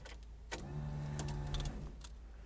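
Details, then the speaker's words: Mk1 Ford Fiesta with Zetec conversion, ignition on after refitting fuel tank lines and sender: short, steady low hum with faint whir for about a second, mainly the high-pressure pump, low-pressure pump barely audible; normal fuel pump priming. "Right, first thing I noticed was that pump is really quiet. The only thing I can really hear is the high pressure pump. Couldn't even hear the low pressure pump, but as we can see, that gauge has gone up."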